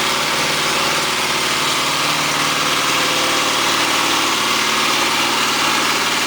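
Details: 1959 AJS/Matchless G12/G15/45 twin in Rickman Metisse frame, freshly rebuilt, on choke after first start: steady even idle with crisp mechanical chatter, no misses or knocks; running cleanly.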